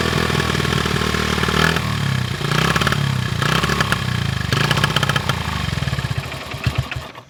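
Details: 1974 Honda XR75, 48-year-old single, new carb, air screw 1.5 turns out, choke varied: ragged uneven popping surging and sagging, never steady; still rough, little better than old carb.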